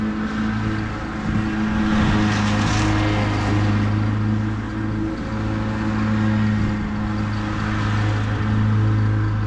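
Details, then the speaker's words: Husqvarna YTH21K42 ride-on mower after replacing a too-long 101.4-inch deck belt with a 100-inch belt: steady low engine drone, blades spinning evenly, no slap or squeal from the belt; belt stays on, running healthy. "so the M's working good a the blades are on good and tight and that belt hasn't come off once and I started to stop the blades a couple of times so with no issues so I think the shorter belt is the answer"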